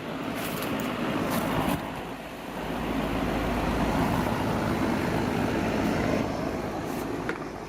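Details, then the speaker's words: Goodman outdoor AC condenser, system set to cool 68, warm air complaint, float switch fine: only a steady condenser fan whoosh with no compressor hum; compressor not starting. "condenser 1123 and I hear the fan running it doesn't sound like there's a compressor running"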